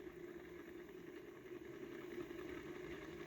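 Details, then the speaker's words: Small home-built Hall-sensor-driven magnet motor: faint steady high whir with a light rattle underneath, speeding up evenly without stutter; normal running, Hall chip often gets hot. "you can hear it speeding up i have to use this more often"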